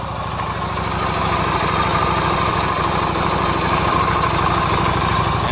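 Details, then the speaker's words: Yamaha XV250 (Virago/V-Star 250) after valve adjustment, camera close to the valves at idle: even idle with soft regular pulses and no sharp ticking; valve train now quiet, was loud before adjustment. "let me get the camera close to the valve so you can hear how little noise there is it was pretty loud before"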